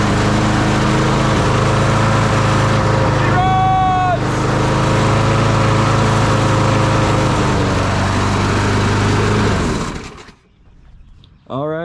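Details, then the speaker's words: Craftsman push mower with Briggs & Stratton 650 series engine, after carburetor replacement and priming; steady even single-cylinder hum about ten seconds, no misses or surging, then shuts off; running healthy. "it is that simple all we had to do was replace the carburetor and she runs"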